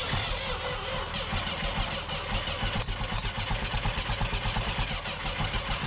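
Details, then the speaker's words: Abandoned tractor that sat about 40 years since the early 80s, started on a freezing morning with heavy starting fluid: slow, uneven cranking about two beats a second with ragged pops and backfire, never running on its own. Now flooding; timing suspected wrong. "Oh, she's still on fire. Woo. Crank it, crank it. Oh. Yeah, now we're flooding."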